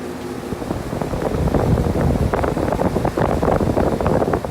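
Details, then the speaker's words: Heat pump outdoor unit after fixing fan blades rubbing the shroud (machine-gun banging in heat mode): steady fan whoosh with a busy, uneven texture and no rubbing or banging; blades now clear of the shroud. "clearances between the fan blades of cells in the shroud nice and quiet the way it should be hopefully this video helped"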